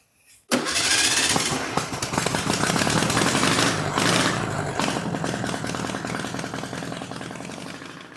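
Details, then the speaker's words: 1962 VW Beetle, sat over 20 years, after swapping the carburetor and fuel pump, started on a portable jump starter: catches first crank and settles into a steady, even air-cooled clatter; running well. "All right, guys. It's running. It's running pretty good. It's uh first start in 20, 30, 40 years."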